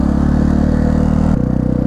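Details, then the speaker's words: 1999 Yamaha TTR 250 single-cylinder dirt bike after carburetor cleaning and an idle screw adjustment: even, quick putter holding a steady idle without stumbling, then settling slightly lower; normal idle. "I was going to tell you that the oh my goodness it runs like a dream now"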